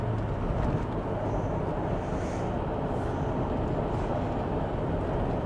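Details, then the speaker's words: Mercedes W163 ML 270 CDI diesel driving at 65 mph on cruise control: a steady low drone with road and wind noise and no knocks or clunks. Normal running at cruise. "Even the cruise control works. We are cruising at 65 mile an hour."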